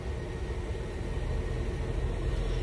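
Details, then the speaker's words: Mercedes idling with the battery disconnected as an alternator test: low, steady rumble with no stumble. The engine keeps running, so the alternator is good; the owner suspects the main battery. "Okay, she's still running, so that lets us know the alternator is good."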